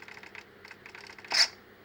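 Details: Eachine EAT01 RC model, new since Christmas, worked fine until now: light, rapid clicking about eight to ten per second from the drivetrain after switching on; cause unclear, owner asking for help.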